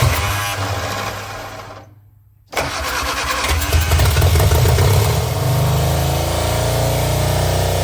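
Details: Barn-find Austin-Healey Sprite, start attempt: ignition on, starter fluid sprayed, starter cable pulled; short crank, pause, then catches and runs steady but slightly rough. Running unexpectedly shows the fuel pump works and fuel reaches the carbs.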